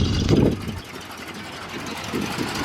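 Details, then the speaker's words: 1967 Chevrolet Impala, factory 327 4-barrel V8, sat since 1977 in the Arizona desert, cold: deep loud uneven burble with an initial blat, then a steady rumble. Loud exhaust. Owner says it could use a muffler. "Oh, gas price. Probably could use a muffler."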